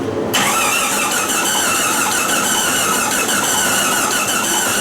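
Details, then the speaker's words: 1999 Jeep Cherokee after engine swap, start attempt: steady even starter cranking, engine spins freely but never catches. "But the way this sounds is how that Jeep out there cranks. So I'm not convinced that it's blown up yet."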